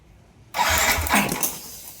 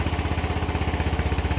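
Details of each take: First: Yamaha NMAX V1 scooter (odometer 105 km) that would not start for a month: a short starter whirr fades without catching. No check-engine light, ignition being checked; a clogged fuel injector starves it of fuel. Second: Yamaha NMAX V1 scooter after the clogged fuel injector was dealt with and refitted to the throttle body: starts and settles into an even, quick putter of about fourteen pulses a second, a clean, healthy idle.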